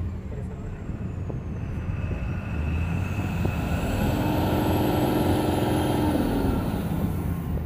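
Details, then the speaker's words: Tata BS6 phase 2 Cummins diesel after fixing a diesel line problem, climbing from rough idle to 2500–2600 RPM at full throttle, rail pressure about 1300, no fault codes; smooth rising whine, no stumbles; normal revving. "देखिए, हमने प्रतिस्पर्धा को पूरी तरह से बढ़ा दिया है और हम देख सकते हैं कि आरपीए अब 25-26 तक पहुंच गया है।"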